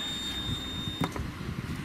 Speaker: This sounds like its normal startup clicking. And then it will warn me that it's not been calibrated for a while.